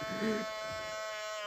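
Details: 2000 Ford Explorer XLT 4WD driver-side power mirror, engine off, windows down: a steady, high-pitched electric buzz on one even note as the mirror motor is actuated; power mirror motor buzzing.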